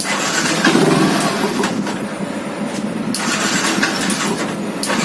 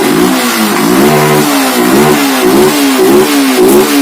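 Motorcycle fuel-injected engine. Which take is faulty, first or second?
first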